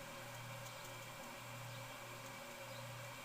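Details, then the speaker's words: 1988 Canarm 52-inch ceiling fan: steady low electrical hum with no blade whoosh; the fan motor is energized but stops turning, suspected from the reverse chain or switch left halfway; motor hum without rotation. "still humming I don't know if you've ever had this happen but if you accidentally pull the reverse chain halfway down or if you have a reverse switch and you get the reverse switch right in the middle it'll do this it'll hum it but it'll come to a stop"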